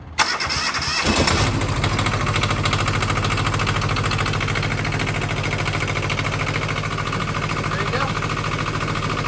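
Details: Kubota T1600 twin-cylinder mini diesel tractor after its glow plugs were cycled, with a fused push-button starter switch wired in to bypass a bad relay: about a second of cranking, then it catches cleanly into a steady, even idle.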